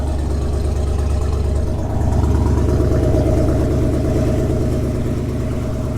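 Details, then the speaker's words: GMC 2500 Vortec V8 at cold idle: steady even low rumble with no squeal or knock; when warm it squeaks like an alternator belt, though the belts are not the cause. "so when it's cold it doesn't do it and sounds"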